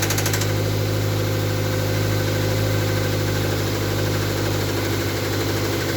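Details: MR2 Mk3 engine at idle with a dull, somewhat uneven knock about three per second over a low, steady idle hum; engine knocking at idle, cause unclear.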